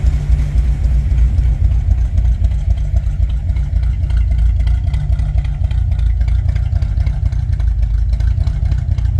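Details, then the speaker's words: 1964 Ford Thunderbird after freeing stuck valves and a top-end rebuild clearing sludge that had sent oil onto the valve guide seals: it no longer smokes and idles with a smooth, even burble, no ticking. "and now that that gun's cleared out she runs and idle smooth"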